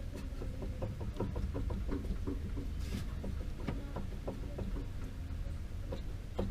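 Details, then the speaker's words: 2014 Hyundai HB20 with suspension noise on dirt roads, driver side: quick dull knocks as the front suspension is rocked by hand on a lift, from play in a worn stabilizer link, not the ball joint or steering box; replacing it fixed it. "esse daqui é do lado do motorista olha o barulho da folga da abelha tá ó só a bieleta"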